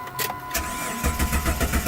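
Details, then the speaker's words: Jeep Grand Cherokee 4.0L six-cylinder with code P0320: engine cranks with even chug, about seven compressions a second, never fires; scan tool shows 0 RPM while cranking, no crank sensor reference signal. "Whoa, absolutely nothing. Y'all see that? I'm spinning over and I got 0 RPM. This truck will never start with 0 RPM."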